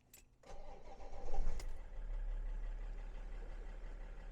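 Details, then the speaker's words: BMW 5 Series that had a crank-no-start fault, after repair with battery maintained: quick crank, catches right away and settles into a steady, even idle; now starts perfectly. "just before I go I'll just show you that the car is now starting up perfectly fine"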